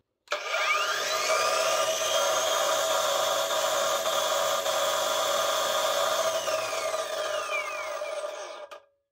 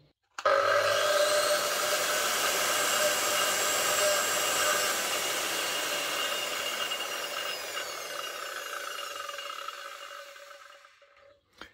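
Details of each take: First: Parkside Performance PWSAP 40-Li A1 40 V cordless brushless angle grinder, no-load run: slow soft start, steady high whine with gear-mesh hum, then disc braking; the angle gearbox is slightly noisier than it should be. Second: Parkside Performance 40V PWSAP 40-Li A1 cordless brushless angle grinder, no load: steady high whir winding down evenly as the disc brakes to a stop; angle gearbox slightly noisier than a Bosch, otherwise normal.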